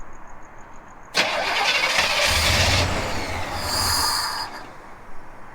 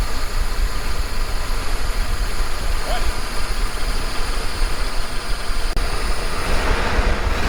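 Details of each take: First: 1980 El Camino, first start after an MSD Atomic EFI swap: short starter burst, rough catch, then a busy idle around 800 rpm against a 750 target; owner suspects the lag to start comes from his throttle-opening adjustment. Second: 1980 El Camino V8 just after an MSD Atomic EFI swap, idling around 800 rpm: a low, steady rumble with no stumbles or knocks; very smooth normal idle while the EFI may still be learning.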